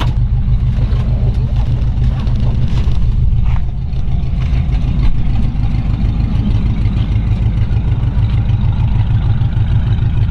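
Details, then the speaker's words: 1940 Ford pickup, flathead V8, single muffler rotted through the bottom by condensation: deep, loud, slightly rough idle with a raw, blatty exhaust note from the leak. The muffler is to be replaced. "it's got one muffler it's a little bit noisy we covered on the undercarriage video it's one of those mufflers where condensation are kind of rotted through the bottom of it"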